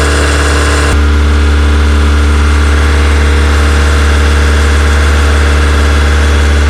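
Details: Honda EK Civic with a freshly built Vitara D16 turbo engine on its first start-up, radiator cap off; fast steady drone near 2000 rpm that won't drop to normal idle. Owner thinks it is an ECU setting and suspects the throttle body.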